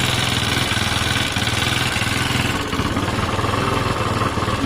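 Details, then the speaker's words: Honda SH125 scooter with about 68,000 on the clock, brought for its MOT: even, quick putter at idle with a steady beat and no knocks, misses or rattles; normal idle. "i know this bike runs beautifully so uh i have no concerns about it"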